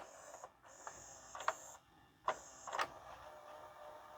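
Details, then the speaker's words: LG/NEC VCR after a new belt was fitted. It previously would not rewind fully and behaved randomly. Soft clunks, then a light, even, high whir as it rewinds smoothly, slower than fast forward and slowing near tape end: rewind works normally. "Oh, that's not as fast as fast forward, but it sounded good. As long as it goes back to the start of the tape, that's really good."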